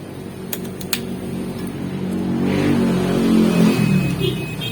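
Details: 3 HP electric motor after replacing the centrifugal switch and the 60 µF 450 V capacitor; hum climbs smoothly as it spins up and settles to an even run, no stalling or struggling.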